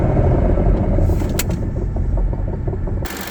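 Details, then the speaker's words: 2008 Ford Expedition 5.4L V8, nearly 260,000 miles, idling: heavy rough low growl from a seizing A/C compressor clutch pulley bearing that no longer spins freely; fix is replacing the bearing. "Currently this one sounds horrible and it is basically seizing and will not spin freely anymore."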